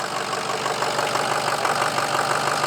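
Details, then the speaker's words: Ford F350 6.0L diesel after crank-no-start repair, long crank to build injection pressure, running briefly with no coolant: steady even idle with consistent clatter, no misfire or surging; engine running well. "It's running! Matt was starting to laugh at me behind the camera."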